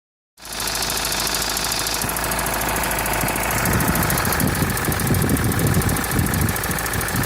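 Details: Mitsubishi L200 4D56T diesel, knock since 70,000 km, still present at 98,000 km after valve adjustment and bench-tested injectors: sharp irregular idle knock from one faulty injector, stops when the throttle is released.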